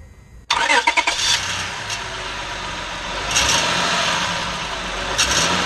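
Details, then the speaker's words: 2005 Honda Odyssey, heard from under the engine looking up at the exhaust and O2 sensor: it cranks and catches with tinny clatter, then idles with a metallic buzz from the catalytic converter heat shield, loose where it broke away at its bolt. "this is the heat shield that is on the K converter and you can you can see it's loose it actually broke away from where that bolt goes in there"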